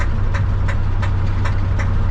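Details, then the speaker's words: 1968 Ford F100 on test drive after water pump replacement: sharp metallic knocking about three per second over rough V8, backfire; temperature good, oil pressure still present. A rocker arm came off. Valvetrain knock. "well something's knocking this backfire and temperature is good still got oil pressure"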